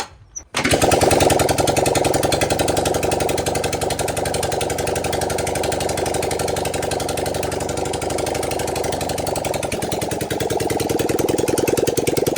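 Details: 1978 Honda CB400A Hondamatic that sat outside 10+ years with a seized engine freed: the engine catches and runs unevenly with a ragged, stumbling beat and no steady idle, smoke from the intake; carburettor springs missing.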